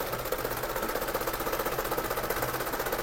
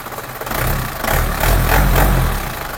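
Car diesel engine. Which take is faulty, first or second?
first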